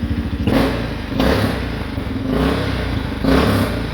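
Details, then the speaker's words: 2013 Honda Rincon 680 ATV, first run after a new cam: single-cylinder thumping and rev blips with a puffing, blowing hiss on each exhaust pulse; possibly an exhaust leak at a stripped clamp that could not be tightened. "I'll have to see what that's about. It might be an exhaust leak right there. That clamp ain't it's stripped out, so I wasn't able to really tighten it down too well."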